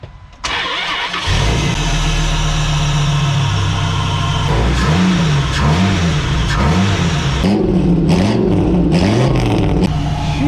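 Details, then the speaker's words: 2001 Dodge Ram 2500 V10 after replacing the passenger-side exhaust manifold gasket: quick crank, then a smooth, steady idle with no ticking; the exhaust leak is fixed. "you guys hear [Music] that neither do I so I'm going to end this video here my exhaust leak is fixed"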